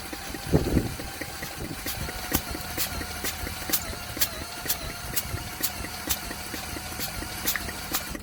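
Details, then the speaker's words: Douglas engine spun over with a drill, thumb on the plug hole to feel compression: light clicks about twice a second, never firing. No spark with this plug; a replacement plug does spark on compression, so timing is right. "I don't appear to have a damn spark. Let me try another plug, just in case that plug is donkey."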